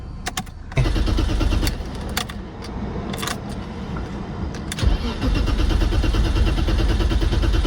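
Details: 1990 BMW 535i E34 inline-six that sat for years, fuel pump not running even with a new 15 A fuse and a new battery: repeated cranking bursts of about three turns a second that never catch. No fuel is reaching the engine.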